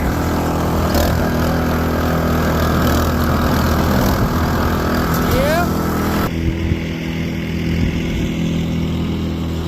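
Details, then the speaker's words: Snowblower after the carburetor repair that fixed its choke-only running, driven over grass: a steady small-engine buzz holds speed under load, then eases off without sputtering or surging; it runs properly. "yeah I'd say the only thing that needs adjusting on is the front skis but it works great"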